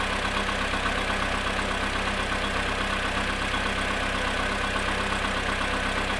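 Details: VW Polo sedan engine right after a cold start at -2 °C, after sitting 22 hours: steady idle with a regular knock about one and a half times a second over the engine hum.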